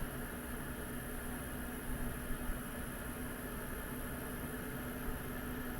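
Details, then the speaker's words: Espar D2 diesel heater in a van after atomizer screen replacement (about 530 hours since last service), at full speed near its highest temperature: steady low hum with even fan and burner whoosh, no ticking; normal running. "now it's running full speed it's pretty much about the highest temperature that we'll get"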